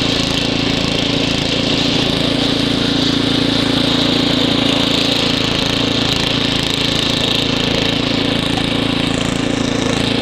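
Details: Ariens ST724 snow blower clearing snow, rebuilt carburetor, new fuel lines and impeller bearing; microphone apparently clipped in hood, likely exaggerating noise. Smooth, even drone with steady hum, no misses or hunting; normal running under load.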